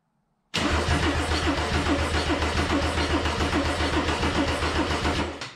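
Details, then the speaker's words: Mercedes-Benz 190E W201 with swapped OM606 diesel, first crank after install with OM603 mechanical fuel pump fitted and fuel possibly not yet supplied: steady, even starter churning about four compression beats per second, no firing; healthy cranking, no start. "let's try and crank it all right well it's cranking um [Music] hopefully we've got some fuel in it nothing seems to blow up"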